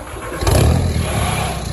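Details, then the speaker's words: 1999–2005 Volkswagen Jetta after a catalytic converter and muffler delete, fitted with 2 1/4" straight pipe. The engine catches and settles into a loud, raspy, deep idle with little muffling, as expected from the open exhaust. "I have the cat and muffler deleted now. It's gonna sound a little bit different, hopefully."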